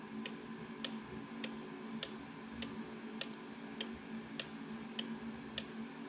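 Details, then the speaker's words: Kubota zero-turn mower, 7 years old, which won't run: a relay in a five-pin tester gives crisp, even single clicks. The relay is good; the owner suspects a bad PTO switch. "so I switched that and you can hear it clicking"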